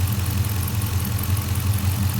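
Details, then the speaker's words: '69 Charger with 6.4 Hemi swap idling warm as coolant nears 203°: steady V8 rumble with light injector ticking, high-pitched squeak gone. "you can hear that squeaking noise is gone all you hear is injectors now sounds a lot better"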